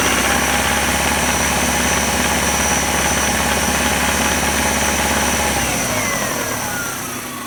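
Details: 1999 Subaru Outback 2.5L, 150,000 miles: regular knock about three beats a second over the engine, hard between 2k–3k rpm, fading as revs drop, gradually louder over time; owner suspects rod knock, not confirmed.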